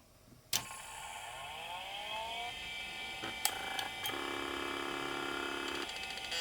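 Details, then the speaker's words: LaPine Titan 3522 hard drive connected to a 386: click at power-on, then rising whine as platters spin up into a steady hum; clean startup, no actuator chatter. "because when I was hooked to this 386, it has a very nice clean startup sound."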